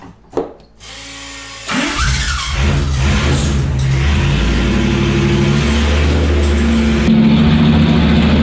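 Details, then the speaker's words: Gen 1 HEMI engine on a dyno with a non-original starter and flywheel setup: starter whirs, then a loud, shaking, coarse roar; excessive noise and vibration not present in earlier tests, linked to starter adjustments. "besides the start of going a noisy coming a lot of noise out of it a lot of vibration there's a lot of vibration"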